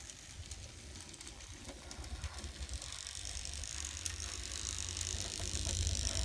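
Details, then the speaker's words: N scale Atlas/Rivarossi 2-8-2 Mikado, repaired old non-runner: light, fairly regular ticking rattle from the drive that grows slightly as it picks up; minor mechanism noise that is acceptable, runs okay. "type of noise nothing that bothers me too much that's gonna be okay"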